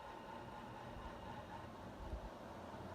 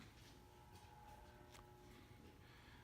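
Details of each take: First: 48-inch Evergo 4E-3LW ceiling fan from the early 1980s at full speed, heard from right underneath: steady rushing air with a soft low propeller-like thrum. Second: 48-inch Evergo 4E-3LW ceiling fan from the early 1980s, turning slowly on a fully variable speed control: low steady hum with faint fixed tones reverberating through the blades; typical motor hum from variable-speed control, not a fault.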